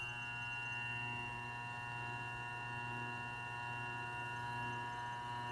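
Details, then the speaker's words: New Grizzly G0758 benchtop mill, first power-up, spindle break-in in low range set about 50 rpm (reads 49), 10 minutes per speed. Steady even motor hum with constant whine, no knocks or grinding; normal spindle run. "so now it's 10 minutes running here and then we increment it to one other speed in the low range and then we switch to high we do two speeds in the high range"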